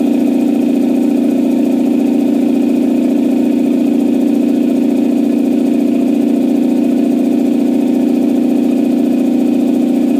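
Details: Campbell Hausfeld 2-cylinder air compressor, test run after head gasket replacement (gasket dimpled for the divot) that fixed it only pumping to about 5 PSI. Steady pumping at about two and a half strokes a second, even deep drone with no misses; normal running.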